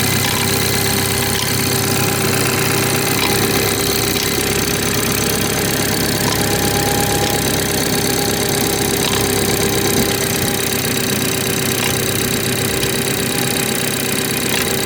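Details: BMW 430i xDrive, B46/48 four-cylinder, cold start in cold weather: a busy ticking of roughly two to three loosely spaced taps a second over the idle hum. Weird cold-start noise, cause unclear.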